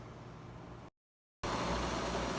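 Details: Front-load washer after bearing replacement, inner bearing worst, and removing a sock and scale buildup: drum turns with a steady, even hum and no grinding or rumble.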